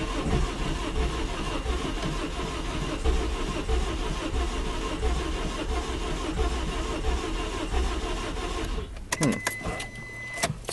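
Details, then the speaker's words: Petrol engine with blown head gasket after Steel Seal treatment, radiator cap off: runs rough under constant rushing hiss, blowing out much water, too much cooling system pressure; sealer failed. "well um I guess uh it was just blown too bad I guess there's some things that still SE can't fix yeah it's just blowing out so much water right there"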